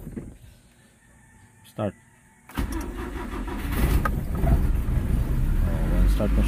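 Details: Nissan Sentra B13 ECCS with a hard morning starting problem, distributor timing advanced to fix it, started early next morning cold: a couple of quiet seconds, then catches promptly first try and settles into a steady run; normal cold start.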